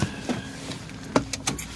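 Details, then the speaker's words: 1971 Oldsmobile Cutlass convertible, low-mileage survivor, cold start at about 41 °F: V8 settles into a low, steady idle with a few handling clicks, nothing rough or missing; sounds healthy. "starting temperature was about 41 degrees on my sounds good"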